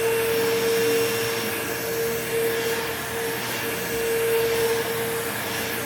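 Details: Curb-find old Bissell PowerForce Bagless 6594 upright vacuum, first switch-on before refurbishing; steady even high whine with airy rush, slightly rough, bearings okay, fan balanced, no buzzing: old motor, not like new but passable.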